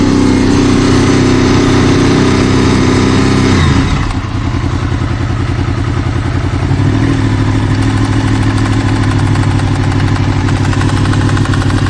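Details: Honda VFR800 VTEC V4, about 56,000 miles, warm above about 80C: revs drop to idle leaving an uneven low knock, seemingly from the right side, possibly the rear cylinder, audible around 1500-2000 rpm; engine knock, origin unclear.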